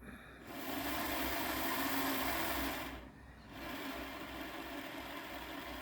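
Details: Repaired Hornby Class 57 model locomotive on a rolling road, drawing just under 0.1 amp: light even motor whir crawling slowly, brief dip as it reverses direction, then smooth steady running; healthy.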